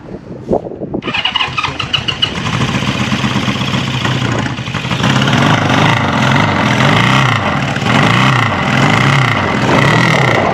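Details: Honda CB550 four-cylinder, clutch held in: it cranks, catches within a second and settles into a steady, slightly uneven run that rises with throttle before the fuel runs out; smoke comes from one side.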